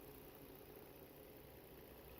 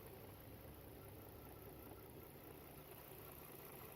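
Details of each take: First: 2011 Volvo XC60 3.2 petrol six with misfire codes P0302/P0304, lean P2096: steady even idle hum after swapping the ignition coil, engine now smooth, no stumbles. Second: 2011 Volvo XC60 3.2 petrol idling unevenly with a lumpy beat; codes P0302/P0304 misfire, P2096 lean, P0455 gross leak; disconnecting cylinder 4 coil causes no change.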